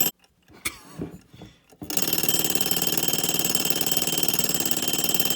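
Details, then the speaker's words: 1935 Westclox Sleep-Meter alarm clock after mainspring replacement, separate bell just refitted, alarm set to 12: after a few clicks a rapid steady buzzing ring about four strikes a second, muffled like a lawnmower; works but dull. "Oh, there it goes. Kind of a muffled sound, isn't it? Sounds like a lawnmower."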